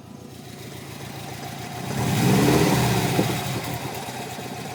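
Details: Subaru Legacy GT petrol engine at idle up to about 1,200 rpm, with a low, regular thump of roughly three beats per second through a light rev.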